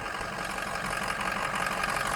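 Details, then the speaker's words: 2005 Ford F350 6.0 Powerstroke turbo diesel, 134k miles, EGR delete otherwise stock, cold start: steady even idle with smooth low rumble; minimal blow-by, normal idle. "it does make a little pulling noise you'll hear it in the morning for about 10 seconds and then it goes away blow by is extremely minimal"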